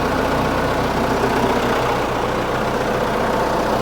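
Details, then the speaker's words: Case 1845 skid steer diesel idling at its first start after reinstalling the hydraulic pumps, before adjusting the drive neutral stops (axles still turning). A steady, even low throb with no hydraulic whine. Normal idle, pumps sound healthy. "no winding in the hydraulics that's good yeah that's really good i like that"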